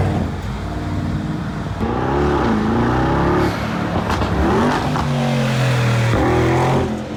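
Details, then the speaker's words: Rebuilt wrecked 2022 Mercedes G63 V8 after codes cleared and out of limp mode; deep, even note climbing and falling smoothly, no knock, miss or stumble; crisp, healthy engine. "Now that's some German engineering right there. Right now it's better, a lot better. Oh yeah, sounds so crisp and clean, sounds healthy."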